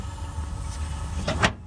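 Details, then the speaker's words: MCI MC9 bus conversion with Detroit Diesel 6V92 at steady low idle: quick air-driven clack near the end as radiator shutters snap shut on air pressure; shutters closing normally, fitted to help hold engine temperature. "did you hear that yep there they just shut"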